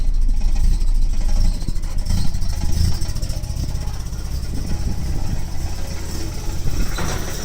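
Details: Nissan 240SX (KA24E) with a rough, uneven misfire at idle, with stumbles and dropouts. The distributor and O2 sensor were replaced and the injectors, ISC and MAF cleaned, with no change. The rattle is the exhaust hitting the driveshaft, not rod knock.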